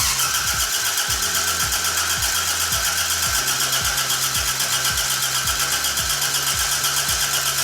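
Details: Toyota AE86 after ignition coil replacement and engine harness check, first start attempt: starter chugs about four times a second with uneven catches, then runs on only most cylinders; popping noted, timing possibly a tooth off.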